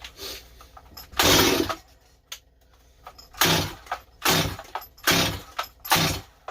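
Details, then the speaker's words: Stihl 025 chainsaw just rebuilt with new Meteor top end, carburetor low jet being adjusted: repeated cord pulls with short sharp pops that never run; owner suspected carb and it sounded flooded. "uhoh she not getting enough fuel he did think this carburetor might be bad"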